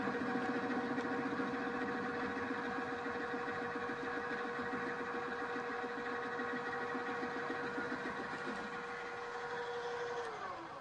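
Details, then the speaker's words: Milling cutter held in a drill-press chuck (poor holding method) fed across a part: steady motor hum under rough pulsing rumble and chatter, about three to four beats a second, leaving surface irregularities around ten-thousandths of an inch. "everything looks fine so far looks very much like what you'd see and hear the milling machine and it's sort of working but you can hear some rumbling some chatter"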